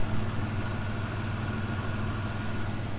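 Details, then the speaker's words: 1999 Pontiac Firebird at idle: steady low rumble with no weird ticking, humming or rattling, engine sounds healthy, though the owner hears exhaust-leak static and guesses the catalytic converter, unconfirmed. "there's no weird ticking or humming noises the engine isn't rattling around everywhere"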